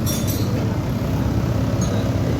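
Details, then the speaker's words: Old-model Yamaha NMAX scooter showing error code 37 (abnormal idle), rear wheel not turning: fast, steady, busy idle far above normal. "atau langsam itu tidak normal, bisa terlalu gede, bisa terlalu rendah."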